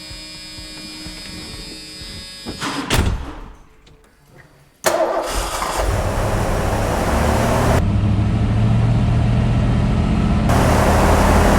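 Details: Fox-body Mustang with a carbureted four-barrel (not fuel injection), cold start after repair of a rough idle: catches at once and settles into a fast, steady choke idle with no misses; healthy start.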